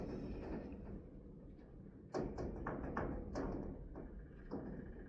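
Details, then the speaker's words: GE washer with shifter commanded into agitate through the service diagnostic module, after motor pulley replacement: short run of soft clunks and thuds then settling; normal shift actuator operation. "And I can hear it moving into agitate. There it is. So, we're good there."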